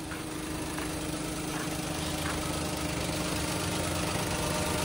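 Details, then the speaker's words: Toyota Wigo idling after repair: steady, even, quiet hum with no ticking; before, it ran with a typewriter-like clatter. Noise linked to water sucked into the air intake during heavy rain causing a blockage. "Ito yung dating parang typewriter yung andar. Oh, napakatahimik na ng kanyang andar mga boss. Malayong malayo na dun sa ano."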